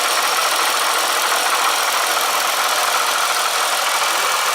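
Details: Triumph Bonneville at idle, after oil change: fast light metallic rattle chattering steadily, possibly slightly quieter than before but not gone; owner suspects the coupler next, cause not confirmed.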